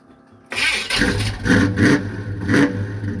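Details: Chevrolet Impala V8 engine catches and settles into an uneven, lumpy idle with surging pulses about once a second; rough idle, cause not evident.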